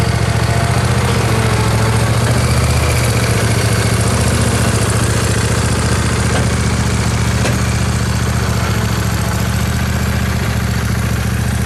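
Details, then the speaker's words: Shoal Runner jet boat engine running on a hose after the boat had filled with rainwater and been mothballed: a steady rough idle with an uneven thumping about four beats a second. The owner suspects the pump drive u-joint/shaft rather than the engine, which has plenty of oil pressure; unconfirmed. "i'm pretty sure that the uh noise is in the drivetrain of the pump which would be it's not necessarily in a pump it's that it's the u-joint the axle that drives the uh the shaft for the pump"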